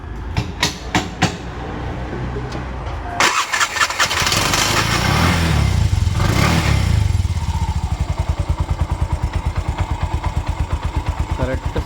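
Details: Bajaj auto BS4 single-cylinder, engine rebuilt about four months ago with new bore, connecting-rod noise suspected at idle with light throttle: a few cranks, then catches and settles to an even, steady putt with no knocks; sounds healthy.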